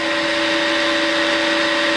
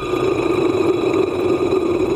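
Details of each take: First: Combination milling machine's 3-phase induction motor after rotor bearing replacement (with mismatched bearings), horizontal spindle running, recorded on a lapel mic: a steady, even hum with two constant tones, about 78–79 dBA. It sounds much improved, with no rumble. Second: Front rotor bearing from the 3-phase induction motor of a combination milling machine, spun by hand after disassembly: gritty, rasping whirr with a faint ring as it slows; worn bearing behind the motor noise, to be replaced.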